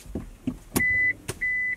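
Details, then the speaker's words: Automatic car that won't start with the foot on the brake; a couple of clicks, then two steady high warning beeps about a third of a second each, and the engine does not start. "is that beeping noise um I have no idea but dad is not gonna be happy"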